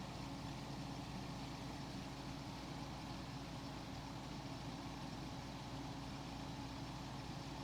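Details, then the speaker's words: 1990s Capehart 40-pint curb-find dehumidifier charged with 12.5 oz R-500, first power-up, coil cold: low, steady, even compressor hum, barely audible, no knocks, rattles or surging; compressor runs quietly and healthy. "so this thing works Wow so you can barely hear the compressor that's really nice"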